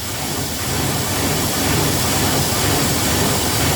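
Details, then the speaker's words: 1997 Ford Ranger 4.0L SOHC V6, slightly warmed up: lumpy, uneven loping idle like a big cam, with surging and stalling; IAC valve replacement did not cure it. "I did already let it warm up a little bit as you can see and then it starts doing this so this is what it starts to do it sounds like it has a cam and it's"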